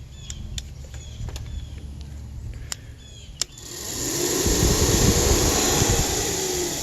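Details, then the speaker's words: 2003 Chrysler Sebring 2.7 after an engine swap, with one fan relay removed: a few clicks, then the cooling fan spins up into a loud, steady rushing whoosh at high speed. The fan can be activated; it probably just needs relays. "sounds like high speed to me i don't know if that's because i have the other relay out but that's good it's capable of activating it"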